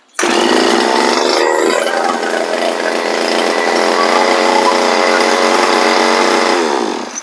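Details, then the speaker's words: Two-stroke brush cutter (411) engine: high raspy buzz cuts out cleanly the instant it's switched off, after tightening the loose red wire terminal from the ignition coil to the stop switch. "ตอนนี้ดับแล้วก็ดับเลยนะครับลองครั้งแรกครับ"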